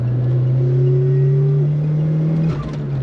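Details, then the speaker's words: Nissan March Superturbo (twin-charged) on a road drive after fitting fresh JDM parts, custom restored 15-inch wheels and suspension: a smooth, even low exhaust drone rises with speed, much cleaner, with the usual slight supercharger changeover stutter; healthy exhaust note. "Oh, that's heaps cleaner. It's still got that tiny supercharger changeover like stutter, which Yes. it's always had, which they Yes. all have."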